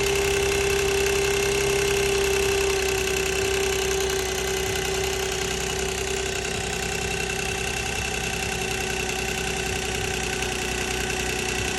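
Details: 2006 Nissan Maxima at idle: steady idle with a fast, fairly even light rattle of about four a second over a hissy background; timing chain rattle suspected.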